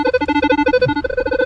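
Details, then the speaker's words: Metal detector over a heavily contaminated early 1800s farm site in upstate New York. A constant rapid chatter of alternating low and mid tones with no target, nonstop falsing. Suspected interference, not confirmed. "This is absolute god awful. And high tones, you can kind of like hear it popping through. It's real difficult."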